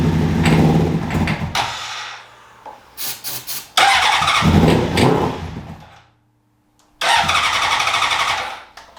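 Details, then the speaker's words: 2003 Honda CBR600RR inline-four, first start attempt in 18 years with new ECM and fuel pump: repeated bursts of fast cranking with pauses, never catches; smells of gas, owner thinks the injectors are just stopping. "Smells like gas in there. Sounds like the injectors are just stopping."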